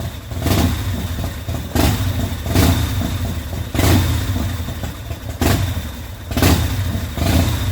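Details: 2004 Harley-Davidson custom, first start after repairing the primary chain gear that broke loose from the BDL competition clutch housing: catches and settles into idle with throttle blips about once a second, no knocks or clatter; runs healthy.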